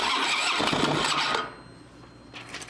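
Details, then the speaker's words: 2007 Harley-Davidson Peace Officer Special, sat unused; fuel pump heard priming: starter churns about a second and a half with a little throttle but the engine never fires. Technician suspects fuel pressure; cause unconfirmed. "Let me go to the other side here and give it a little throttle. See if we can get her to start. Yeah, it doesn't even want to run."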